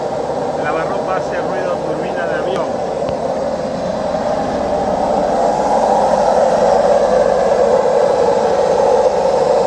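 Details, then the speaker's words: Washing machine during the spin cycle: a loud, rising jet-turbine roar builds as the drum spins up, steady and smooth in pitch. Worn drum bearings; both bearings and the seal need replacing. "Cuando ustedes se encuentren con este ruido, es el famoso turbina de avión, es porque tiene problema en los rodamientos. O sea, hay que cambiar los dos rodamientos y el retén."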